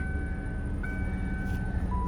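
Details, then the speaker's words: 1998 Lincoln Mark VIII, stone cold start, always run on Mobil 1: steady even low rumble with faint accessory whine, no timing chain slap or knock. Normal cold idle. "stone cold startup should fire it up no time change slap no knocks"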